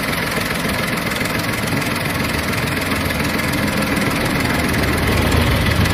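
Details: Volkswagen Polo 7 engine at steady idle: fast, fairly even ticking about three beats a second over the engine hum; abnormal engine noise, source not pinned down.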